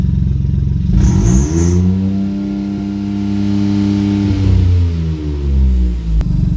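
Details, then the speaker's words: Ford EcoBoost after reassembly and timing set without timing tools, downpipe disconnected: starts, revs smoothly up and down, settles to even idle; engine running perfect. "It's just that a downpipe is not connected, but the engine is running perfect."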